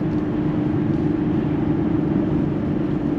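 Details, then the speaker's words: Convertible test car at cruising speed with no framed door windows; steady loud rushing roar with a faint whistle, excess wind noise suspected from a seal somewhere, not the top. "It's noise from a seal somewhere, because obviously this doesn't have framed windows on the doors either. So there's going to be a little road noise associated with that."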